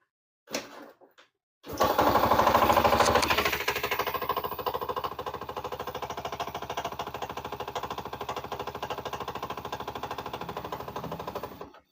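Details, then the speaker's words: Yamaha Jupiter Z motorcycle brought in over a frightening knocking noise when ridden. It starts and idles with a hard, rapid clatter, about three knocks a second, riding on every firing. Loose flywheel nut knocking. "Pagi-pagi saya ada pasien suaranya gemblodak ya katakan ya. Jadi ini dari mana suaranya nanti kita bongkar."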